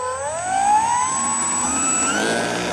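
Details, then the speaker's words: Electric P-51D Mustang RC plane on its maiden flight: motor whine climbing with throttle under a rough buzzing shake from vibration; something out of balance, with the propeller spinner noticed wobbly and the tail wheel also suspected. "I think something's out of balance. It could be the tail wheel, you reckon? Well, Shaking like shit, something."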